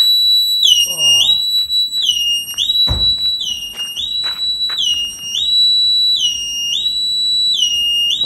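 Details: 1986 Opel Manta Berlinetta during engine rebuild: loud piercing siren sweeping up and down about twice a second, the car's alarm going off; the engine immobiliser was then turned off.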